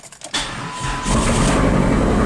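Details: Chrysler PT Cruiser GT, long-sitting, first start after replacing a blown ASD fuse, on a jumper pack; short crank, catches within a second and settles into steady, even run. Starts normally, though a misfire remains, sounding Subaru-like.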